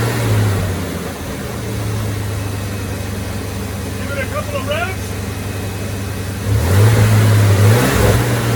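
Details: 1990 Ford F-150 4.9L 300 inline-six, after reinstalling serviced fuel injectors and the intake plenum: smooth, even engine note rising cleanly when revved with no stumble; normal acceleration with more power.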